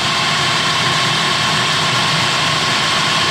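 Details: Clausing horizontal mill feed gearbox just lubricated and bolted up, test run with the drive shaft turning: an even, steady whirr with no clicks or grinding; normal running.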